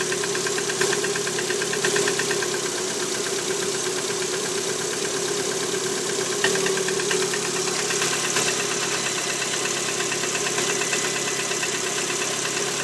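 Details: Lada Priora 126 engine, hot after warm-up: light uneven tapping over a steady hum at idle; service diagnosed piston slap, piston group needs replacement.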